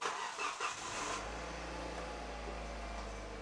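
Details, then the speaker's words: Hyundai i30 after replacing the worn flexible rubber steering coupling that caused a steering clunk: engine starts and settles to a quiet, even idle with no knock or clunk from the steering. "nice and quiet okay let's take it for a road test and make sure that it's all okay"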